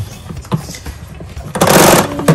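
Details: Panasonic MC-CG524 vacuum cleaner after disassembly to fix a stuck cord roller: a brief whirring rush with a few light clunks as the cord reels in smoothly, the rewind working properly again after repair.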